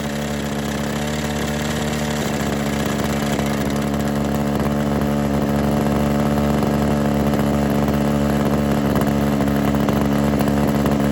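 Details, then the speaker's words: Kawasaki KHT600D hedge trimmer two-stroke after new fuel lines, primer bulb, fuel cap, grommet and tune-up: steady high buzzing at constant speed without stumbles or surges; started right up, runs smoothly and healthy. "So started right up, worked pretty good."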